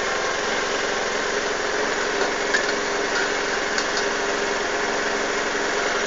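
Fast busy idle with a slightly uneven, wavering beat and occasional stumbles; the engine is idling roughly, cause not evident.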